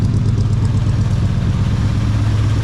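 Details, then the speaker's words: 1980 Chevy C30 dually big-block V8, first start after 26 years sitting, idle turned down, not smoking: deep, loud, lumpy burble with rough pulses through a glass pack, exhaust loose and blowing into the dirt. Loud exhaust at idle. "sounds pretty good for a glass pack I mean on a big block what do you expect this exhaust falling off it's blowing in the dirt"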